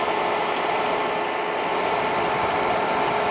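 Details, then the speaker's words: IBM DPS-2000BD power supply as a charger ramps up its current draw: voltage drops and an even hiss with thin high whistles appears under load, cause not pinned down. "here's the current value that the charger draws and as it ramps up now here now you can hear it the voltage goes down and there's kind of hissing noise"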